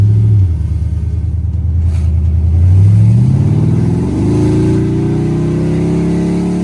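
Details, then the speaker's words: Chrysler 300C 5.7 Hemi after replacing missing driver-side header bolts on long-tube headers: deep, even V8 growl rising smoothly with revs, no clunking; exhaust sounds sealed and healthy. "Now that's the sound of American muscle right there, baby."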